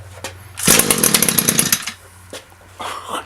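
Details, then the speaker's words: Echo SRM-225 string trimmer, perhaps a thousand commercial hours, with aftermarket knock-off carburetor, engine dead cold, primed, on choke, no throttle: fires and buzzes high for about a second then drops off; normal cold start. "so yeah engines dead cold on a couple more primes choke sure no throttle"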